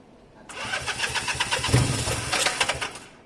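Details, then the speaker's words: Honda CB200, first start attempt after many months with new air filters fitted and rusty fuel from the tank: starter churns briskly and evenly for about three seconds with no grinding. Normal electric-start cranking. "sounds alright little bits right"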